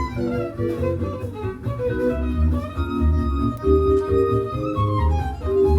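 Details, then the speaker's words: Dual CS 505-4 belt-drive turntable from the early 1990s, returned as broken, playing jazz vinyl before repair: music sags and wobbles in pitch, drifting flat; the wrong drive belt was fitted, not a motor fault, and 45 rpm runs slower than 33. "Ah, yes. The rare drunken jazz setting. Without strobe markings, it's harder to see the speed issue."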